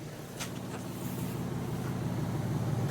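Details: G35 (V36), about 42°F outside: steady low idle with an even, smooth beat, no stumble; slight exhaust leak noted underneath, no check engine light; healthy idle.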